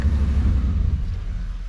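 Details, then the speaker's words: 1992 Chevy C1500 idling near 1000 rpm: lumpy idle sags and fades out when shifted into reverse, engine stalls; owner suspects timing may be off. "dies that ain't good"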